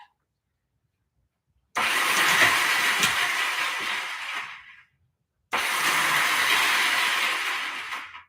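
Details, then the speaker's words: Honda CB360 that won't start after winter, battery good, neutral light on, kill switch on run: two bursts of high fast whirring with no engine turnover; starter spins without engaging, owner suspects the Bendix gear. "that's supposed to be a starter motor but i think the uh i think it has a bendix gear if your starter motor is making that sound look up bendix gear or uh something like that"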